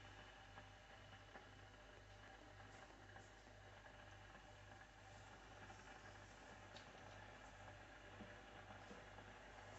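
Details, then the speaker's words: Philips Senseo Select CSA240/91 pod coffee maker making a two-cup espresso with two pods, light blinking while the water heats: quiet low hum pulsing steadily as water heats and pumps; normal brewing. "La machine clignote, ça veut dire que l'eau elle chauffe. Donc on entend."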